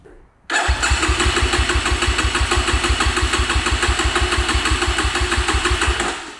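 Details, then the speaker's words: Cheap Amazon 250cc dirt bike, unused in storage for 5 years, no choke found: after five failed kickstarts, silence, then the single abruptly catches and settles into a steady, fairly even thump; hard starting. "Forget stupid stupid kickstart. I gave up. It's five kicks."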